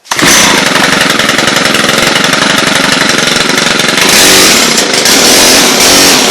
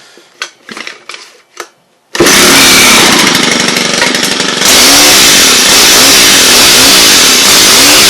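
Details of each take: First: Stihl HL hedge trimmer, two-stroke engine revving high and rough with no blade chatter: motor runs but blades aren't driven; owner suspects seized blades, failing clutch or worn drive, later thinks a drive part wasn't pressed in fully and slipped out. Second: Stihl HL hedge trimmer after soaking seized blades with WD-40: loud high-pitched two-stroke buzz starts after a few clicks, revs and settles steady with rhythmic blade chatter; running normally.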